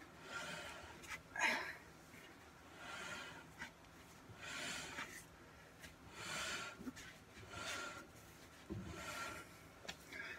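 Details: Drum brake on a car under rebuild with new brake lines, wheel turned by hand: a soft scraping rub swells and fades about every 1.5 s. The drum drags on the shoes with the adjuster backed fully out; the drums were later lathe-turned.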